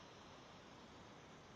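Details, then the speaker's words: New 1/8 air micro die grinder; steady, even hiss with no motor note, air escaping at a hose fitting that was not tight enough, quieter after tightening. "I just don't like the way that sounds they're asking a little bit quieter oh yes I didn't have it on tight enough it's got to be on really tight"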